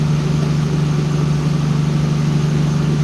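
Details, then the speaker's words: Tuned performance engine on dyno day after adding ignition timing: deep, even idle hum with a steady low pulse, no misses or knocks; tone changed dramatically and sounds smoother, normal idle. "the engine changed tone i added timing to it and the whole engine changed tone dramatically"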